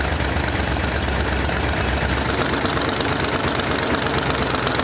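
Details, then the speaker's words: 1972 Pantera barn-find Ford V8, freshly rebuilt, fully warmed up at idle: sharp ticking puffs in time with firing over a loud rumble; headers leaking past cheap kit header gaskets. "well we got the engine running got it warmed up real good and if you could hear it you could hear the headers leaking"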